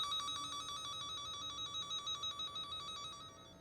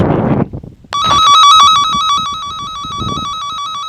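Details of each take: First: Cen-Tech wire tracker in tone mode tracing an underground dog fence loop with a break: steady loud high beeping about three pulses a second while over the live wire, stopping at the break. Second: Underground dog fence loop traced with a Cen-Tech wire tracker: loud warbling probe tone over the live hot wire on one side, fading out past the spot where the buried wire is broken.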